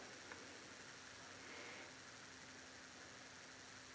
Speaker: personally I can barely hear the cue motor maybe just some noise from the grease starting to spread amongst the gears other than that it's virtually silent